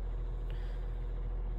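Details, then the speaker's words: Crosley 12-inch oscillating fan on medium after its stiff motor bearings were oiled and its gearbox greased: low, smooth, even quiet hum with minor motor noise, no rattles or scraping. Runs normally. "minor motor noise aside here's a medium still pretty quiet this is about the noise of a modern 12in oscillator on low speed"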